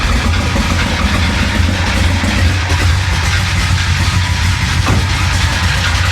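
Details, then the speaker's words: Hurricane-flooded 1966 Chevrolet Impala 427 V8, just restarted after a starter replacement, idles with a heavy rumble and uneven mechanical clatter, then nearly dies; noisy rough idle, cause not found. "take a listen to that engine still doesn't sound great no sounds a little noisy"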